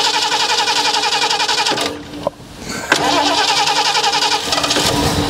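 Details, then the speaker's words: 1977 Ford Quadravan, not run in 19 years, after a new fuel pump and carb rebuild; the starter whirs in two long bursts and the engine never catches. Fuel starvation, with the float suspected stuck shut. "it's kind of funny that i ran that way though just bursting at the top yeah it's just the float is stuck shut on anything i think"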